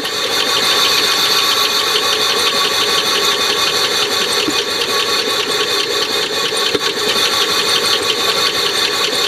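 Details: Oldsmobile Silhouette van, jump-started, code P0302 (cylinder 2 misfire): bright, uneven ticking and clatter over a rough-running engine at about three per second. The noise and misfire came from a loose bolt on the rocker arm.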